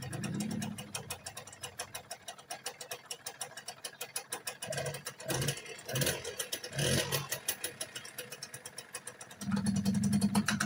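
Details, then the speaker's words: Small motorcycle engine idling with a busy, loose rattle on every firing pulse that goes quiet when the clutch lever is pulled: clutch rattle. "พอเราบีบคลัชนะครับเสียงเครื่องมันจึงเงียบลงแล้วเพื่อนนะครับบีบครับแล้วเสียงเสียงเครื่องเงียบลงนะครับ"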